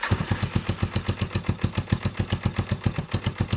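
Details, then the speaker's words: 1989 Yamaha Big Bear 350 ATV, sat over ten years, fuel screw set to about 3.5 turns, on reserve, no choke: slow, slightly uneven single-cylinder idle about four beats per second, barely hanging on and taking no throttle. Carburetor suspected. "That's without choke. It's actually idling kind of, but it takes no throttle."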